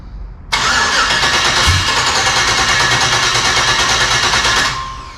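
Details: LS-swapped Dodge Dakota, first start after sitting a year, coolant system not connected, IAT sensor unplugged: engine catches at once, runs rough and uneven for about four seconds, then stumbles and dies; starts but won't keep running, cause unconfirmed.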